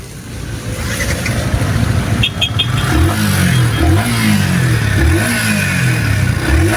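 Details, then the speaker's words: Yamaha R15 M V4 motorcycle after repair, running with covers still off: clean, even beat rising and falling with throttle blips, no knocks; engine quiet, all good. "Okay na. So tahimik naman yung makina niya. Then all goods na lahat mga master."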